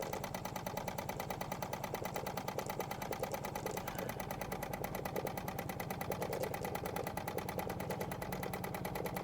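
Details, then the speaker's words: Wilesco D20 toy steam engine at very low pressure, under half a bar: even, steady chuffing at about three beats a second with no knocks or catches; runs smoothly and quietly, normal running. "We're around very low pressure. It's not even up to half a bar. You can hear it's another Wilesco that runs so smoothly, so quiet."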